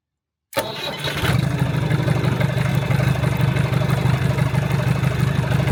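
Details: 1975 Land Rover Series 3 109 with Perkins 4.203 diesel, after head gasket replacement and valve job: cranks and catches within half a second, settling into steady even idle clatter with no miss or knock.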